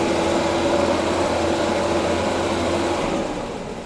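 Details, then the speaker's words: 1975 Jaguar XJ6 coupe (XJC), California spec, after long sitting with probably couple-year-old fuel, warming up: steady idle with slightly uneven, lumpy beat and faint stumbles, quiet tappets, 60 psi oil pressure; running rich and misfiring slightly, needs a tune. "It's running a bit too rich, misfiring a little bit. But the engine sounds very, very sound."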